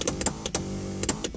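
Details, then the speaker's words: 2016 Mazda 3 Axela electric driver's seat: sharp clicks, then a steady buzzing electric whine while moving; motor noisier than expected, possibly broken, cause unknown. "it's actually pretty noisy well may it's broken or there something stupped there it's very noisy listen to that kind of sounds like Tron"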